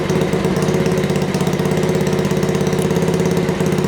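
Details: Honda Dax project bike, first start after wiring-harness install and carburetor setup, with Keepspeed exhaust: quick, slightly uneven single-cylinder putter holding steady idle, no knocks or rattles; normal idle.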